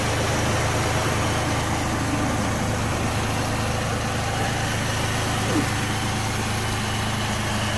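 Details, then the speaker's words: Pontiac engine after head and intake gasket replacement and a fix of a fuel-line gas leak from a bad rubber or O-ring: a steady, even, low idle with no misses, knocks or hunting; it runs smoothly. "took care of the leak. In the fuel line, it was a bad rubber or a bad O-ring. The engine's running pretty smooth."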